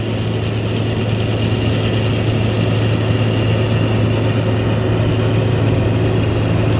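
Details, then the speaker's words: Massey Ferguson 40 combine with a Valmet six-cylinder diesel, back harvesting after sitting three years and being serviced: deep, smooth, even drone at steady speed under load, with no knocks or rattles; running beautifully. "Just listen to that Valmet 6-cylinder. Oh, what a sweet sound. That thing is running so beautifully."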